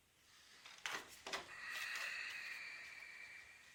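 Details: Panasonic NV-HS950EC VCR won't load or eject the tape: two sharp clicks, then a thin motor whir running on without the tape seating. Loading mechanism fault from a hard-to-find broken part.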